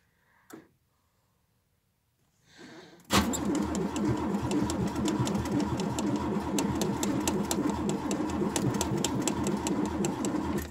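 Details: Ford Taunus frozen after an overnight winter frost, with the battery reading full: the starter cranks steadily at about four pulses a second but the engine never fires, a cold crank no-start.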